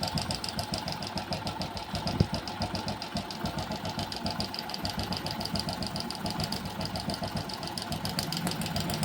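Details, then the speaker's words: Hero Passion Pro motorcycle at idle, timing chain fitted some 15–20 days to a month earlier; fast, light, loose metallic rattling ticks over a steady idle; worn timing chain adjuster (tensioner) letting the chain slap, to be replaced. "खराब हो चुका है जिसे कर हवाज आ रही है दोस्तो इसको चेंज करते हैं"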